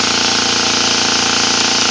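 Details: Gast 1LAA oilless piston air compressor, 1/6 hp thermally protected motor, bench tested at about 50 psi drawing 3.75 A (3.9 A rated): fast, even pumping buzz with steady hiss, no knocks or laboring; running healthy.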